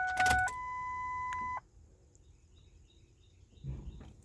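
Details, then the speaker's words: Truck at about 350,677 miles, fuel pump relay reinstalled after fuel filter change: key-on steady electric hum about 1.5 seconds cutting off cleanly, pump priming normally. "Stick the key in the switch prime it turn it [Music] [Applause] off prime it again we'll do it three times"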